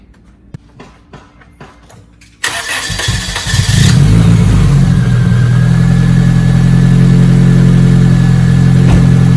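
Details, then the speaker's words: 1993 Asuna Sunfire 1.8 L just after a throttle body cleaning and spark plug inspection: brief cranking, then it catches cleanly and settles into a steady, even idle with no misses or knocks; sounds better than before and runs healthy. "sounds a lot better guys anyways guys we'll check back in a bit"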